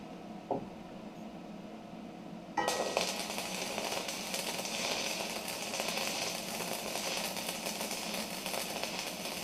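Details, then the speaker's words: Stick (MMA) welding test on a new Sip inverter multi-process welder: after a quiet lead-in the arc strikes into a steady, even crackling sizzle without sputtering; slag lifting nicely although the electrodes weren't stored dry; normal smooth bead. "wow that is quite nice those the electrodes haven't been stored in a dry space either um so that's uh that's good"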